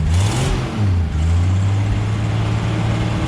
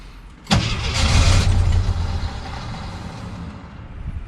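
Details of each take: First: 1977 Jeep CJ7 Renegade that sat 9-10 years, running after its fuel siphon tube was primed; steady, smooth low hum with a light rev, slightly smoky as oil burns off, carburetor fine, exhaust leak location unknown. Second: 1977 Jeep CJ7 Renegade that sat 9–10 years: two long cranking bursts, starter spinning steadily but no start; jerrican siphon tube had popped out of the fuel, so fuel starvation, pickup sucking air.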